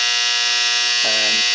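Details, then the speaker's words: 1951 GE Musaphonic 515F clock radio, restored, recapped, tested 35W4 rectifier tube fitted: alarm set to 9 o'clock gives a loud steady high-pitched electric buzz that holds evenly; alarm working. "here's a nice loud alarm. And we'll shut that off."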